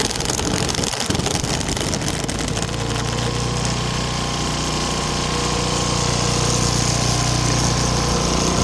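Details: Craftsman wheeled two-stroke weed trimmer after new spark plug, carb cleaning and fresh gas, choke off, cutting weeds with commercial-grade line: steady, fairly high buzz holding up under cutting load, no surging or dying; running properly.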